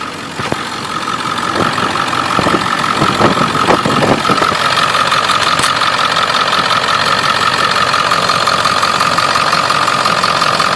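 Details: 7.3 Powerstroke diesel truck idling with a quick, uneven tapping or ticking over the engine, from an exhaust leak at the up-pipe.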